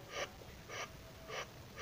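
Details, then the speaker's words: Yamaha F1ZR 110 two-stroke with weak bottom-end pull, spark plug removed, mic near front crankcase, crank turned forward by hand at the magneto: four hissy sucking puffs, about two per second, indicating a damaged or leaking crankshaft seal. "Jadi kalau di bagian magnet ini diputar kedepan dengan kondisi busi dibuka ya diputar kedepan kini di sini ada bunyi isapan itu artinya Hai Sil kruk as-nya sudah rusak atau terjadi kebocoran pada Sil kruk a"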